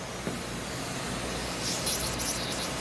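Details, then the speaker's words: Boiler hydronic loop serving 16 water-source heat pumps over four stories, refilled after full drain to replace failing Taco circulator: constant airy hiss with light sputtering over low hum, air separator bleeding lots of trapped air. "is bleeding a whole lot of air."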